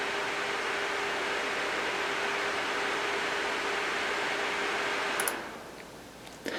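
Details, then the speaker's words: Sager NP8640 / Clevo P640RE laptop, fans set to maximum: steady airy rush with faint constant hum, no rattle or grinding, until it cuts off; healthy cooling fans at full speed. "so first what we'll do is we'll set maximum fans just so you can hear what it's like"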